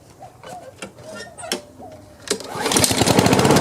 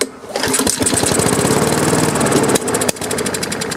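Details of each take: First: Craftsman self-propelled push mower after fitting a new gapped spark plug and a new air filter, replacing a dark fouled plug: after a quiet start it picks up into a steady, even, quick putter with no misses; runs much better, normal running. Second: Free Craftsman self-propelled push mower started on choke without starter fluid catches with a sharp pop and runs uneven and rough; the removed plug is very dark, and it is then replaced with a new gapped plug. Backfire on starting, fouled spark plug.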